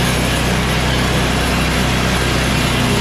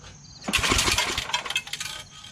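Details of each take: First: Yard Machines MTD 24" 824 two-stage snow blower with an 8HP Tecumseh Snow King engine. The carburetor and fuel line were replaced to cure surging and stalling at mid throttle, and the oil was changed. Primed, it holds a steady throttle with no surging or sputtering; runs healthy. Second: MTD Yard Machines Snow King 24" two-stage snow blower, 8 HP Tecumseh, carb not priming and likely clogged: quick pull-start cranks without firing, with a bright metallic rattle from a loose screw.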